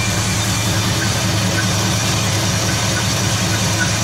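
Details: 1974 Nova 454 big-block (7.4L) V8 with Edelbrock Performer intake, over 37,000 miles, running in the car: deep, steady rumble with an even firing beat, no ticks or knocks; healthy idle.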